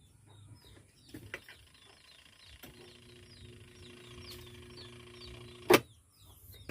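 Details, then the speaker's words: Twin-tub washing machine wash motor: steady electrical hum after a switch click with no spin-up; it won't turn or turns weakly only when helped, traced to a weak run capacitor. "Kung narinig niyo mga guys ah hindi siya umiikot pero umuugong siya. >> Ayan. So ayan mahina umikot."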